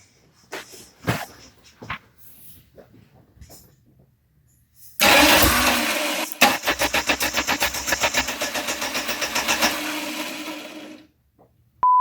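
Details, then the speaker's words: 1989 Dodge Daytona converted from TBI to turbo, first start attempt: steady cranking at about four compression pulses a second with no firing; cranks but won't start, ignition timing suspected off at the distributor, not confirmed. "Alright, so it sounds like the timing's off."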